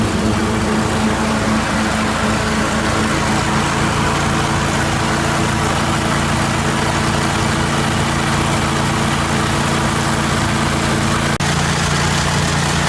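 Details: 1980 Jacobsen Turfcat 60-inch mower idling after PTO shaft repair and regreasing: steady, even idle with a constant low drone and no knocks or rattles; the engine sounds healthy.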